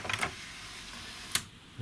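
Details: Sony CDP-M26 CD player, lid off during NO-DISC fault find: a couple of quick clicks, short motor whir, then a soft thunk as the tray settles; eject mechanism working normally.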